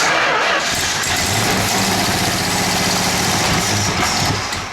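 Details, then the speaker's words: 1970 Plymouth Road Runner, V8 just restarted after 25 years of sitting, running on gas poured into the carburettor: uneven, lumpy, stumbling run with ignition timing off, direction unknown. "okay we got the timing off and I don't know which way that is"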